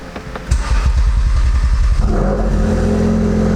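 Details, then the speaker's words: Ford Focus RS after installing a new clutch and rebuilt transmission, ECU reset: quick cranking for under two seconds, then catches and settles to a smooth, even idle; sounds good. "you reset the EZ so it's gonna start a little bit sounds good"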